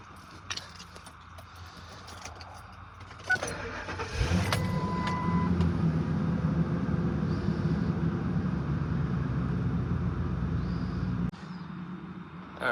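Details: Ford F-250 5.4 liter V8 after replacing cylinder 6 coil pack for P0306/P0316 misfire: starter catches quickly and engine settles into an even, steady idle without stumbles or skips; all cylinders firing.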